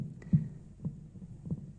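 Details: Thunder THC-SUB101 active subwoofer: dull low popping thumps about every half second with no music, starting 10–30 minutes after power-on. Amp board works and the noise stops when the line input is unplugged; filter board suspected, op-amp replacement didn't help.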